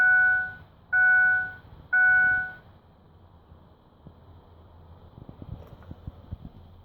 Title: F150 2006 no start, no crank...12 beeps...6 high 6 low tone alternating